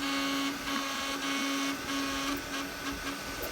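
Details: Anycubic Kobra 3 3D printer with little use, after a print failure: a loud, steady car-horn-like hum over the moves, breaking off briefly as the head changes direction; nozzle not clogged, everything tight, cause unknown.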